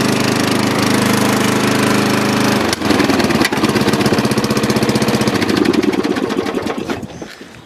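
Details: Dynamark riding lawn mower after carburetor cleaning, driven outside to test the long-unused deck: steady engine drone that firms up and changes character as the deck kicks in, running evenly with no knocks or stumbles.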